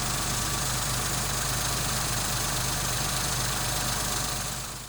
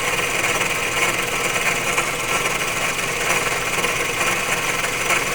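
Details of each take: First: Engine after replacing a faulty water pump that had caused rattling, grinding and overheating: even steady idle with a soft ticking texture, no rattle or grinding; engine now very quiet and healthy. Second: Running engine with a faulty water pump: harsh, saw-like grinding and rasping; it also overheated easily, and after pump replacement the engine became very quiet. Failing water pump bearing grinding.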